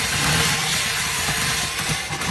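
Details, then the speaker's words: Fuel-injected car that won't start, tested by spraying brake cleaner into the intake manifold; engine catches and revs briefly and raggedly, then sags and dies; spark present but no fuel, suspected bad fuel pump or its electrical signal. "working so that lets me know that their sparks in the engine and this is uh this is brake cleaner highly flammable so this is what's burning so now we know that it is getting sparked but it's not getting fuel so it'll shut off like right now"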